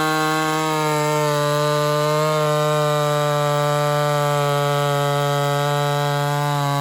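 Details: Ported Homelite Super XL-130 chainsaw on its final test run: high, steady two-stroke scream holding pitch with slight dips as it bites wood; normal, strong running under load.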